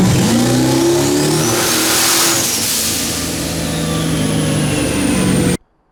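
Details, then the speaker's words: Turbo 6.0 (S484) Firebird on pump gas with meth, TH400 and 9-inch rear, on a pull: the rising note sags and stumbles on a misfire. Two burned plug wires were found. "yeah and I barely rolled into it there and it just stumbled on its face so I was like all right let's pull some stuff"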